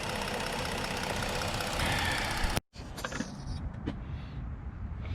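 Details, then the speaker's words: 2015 Ford Explorer 3.5 V6 at idle: uneven, lumpy idle with a recurring stumble; power balance still shows cylinder 3 misfiring, which the relative compression test later flags. "power balance sounds like it's running a little bit better let's see still got a misfire on number three still grabbing this fire on number three"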